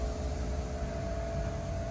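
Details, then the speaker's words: Noisy fan motor on the lowest setting, felt and heard from the rack: a steady low hum with a mid-pitched drone that never changes, cause unclear. "this is the fan eser absolutely had to have you feel it over there definitely feel like it's noisy it yeah that's the lowest setting"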